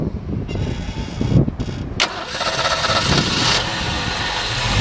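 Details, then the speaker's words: 1965 Ford Mustang convertible, fresh rebuilt 289 V8, 4-barrel carburetor, Pertronix ignition, dual exhaust: quiet cranking, catches in about two seconds and settles into steady even idle with no knocks or misses; healthy start. "Pretty cool. Nice running little V8. Very simple, easy to maintain, take care of them."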